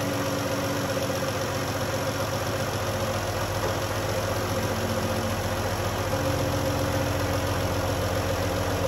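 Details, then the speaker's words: 2011 Dodge Journey 3.6 V6 after lifter and rocker replacement: smooth, even idle with a steady low hum and no top-end ticking; the earlier tick is gone and the engine runs normally. "Sound like she's doing her thing. No more tick, tick, tick, tick, tick, tick, tick, tick, tick, tick, tick, tick, tick."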